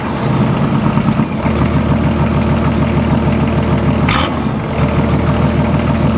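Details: BMW/VM D190 marine diesel at first start after a rebuild following a broken valve, with a VM 2.4 liner, piston and head, idles uneven and lumpy with wandering firing pulses; air in fuel from leaking injection pump front shaft seal.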